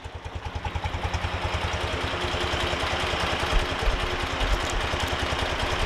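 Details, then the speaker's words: BMW R90 boxer twin after top-end refresh, carbs already balanced, Harmonizer carb synchronization: slow, loping putt-putt about three beats a second, barely ticking over; idle speed set too low. "it's amazing how slow this idle is"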